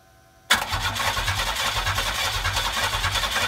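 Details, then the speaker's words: McLaren M6GT replica with GM 3.8L supercharged V6 from Bonneville SSEI: steady rhythmic starter cranking, never fires; crank no start, owner suspects computer needs flashing due to key security lockout. "at this point i'm starting to realize that the computer probably needs to be flashed uh there's a security lockout on these computers where if the key is not in the ignition that matches it to this computer that the car will not start"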